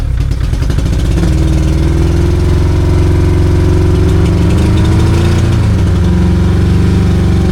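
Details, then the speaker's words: 2002 Yamaha 90hp carbureted outboard, sat two years, low compression on one cylinder: steady busy idle held high around 1000 rpm and not dropping; one leaking carburetor keeps it from idling properly. "See, it's still leaking a little bit here. See, it's leaking a lot. So, that's one of the reason it's not idling properly."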